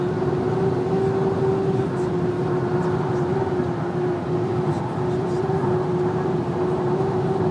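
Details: VW Amarok driven at slightly over 120 km/h, a thin steady one-pitch whistle rides over the road and engine roar; high-speed whistle, source not yet pinned down.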